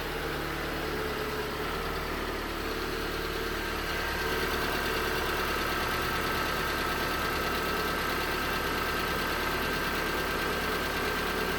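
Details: 2019 Hyundai Tucson 2.0L GDI Nu, 24,000 miles, cold idle on Mobil1 5W-20: fast, fairly even light knocking about three per second, cold-start knock the owner suspects is piston slap; 5W-30 helped only slightly.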